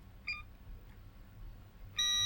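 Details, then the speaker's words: Multimeter continuity test on Giatsu 3DDC mini split air con controller board (error F4), tracing 5V regulator output to chip pin eight not pin two: short chirp then steady high beep; connection present. "yeah pin eight which is there not pin two"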